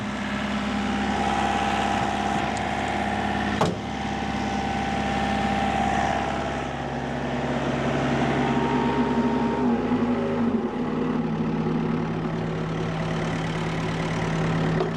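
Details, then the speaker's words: Old excavator diesel after new-year servicing, engine held at high revs then settling to a lower steady pitch; smooth even drone, no knocks or rattles, sounds happy; right-hand track a little slow; normal engine at high revs. "Sounds good. Well, Sounds fine. sounds happy."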